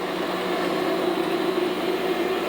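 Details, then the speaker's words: 1964 Cleaver Brooks boiler, 150 psi rated, with new water gauge kit and sight glass, burner lighting after control self-check: steady even roar with low hum, no pulsing or rumble; normal burner firing. "And then here shortly it's going to fire itself off. And here we go."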